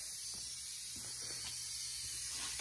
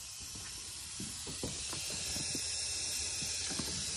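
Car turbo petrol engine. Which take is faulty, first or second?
second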